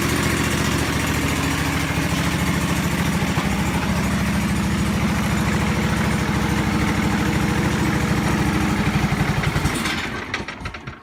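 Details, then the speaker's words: John Deere 425 mower with coolant leak, broken choke cable, weak battery: loud uneven lumpy pulsing about three beats a second before shutdown; rough running, cause unclear. "Now, this is not the best running machine in the world."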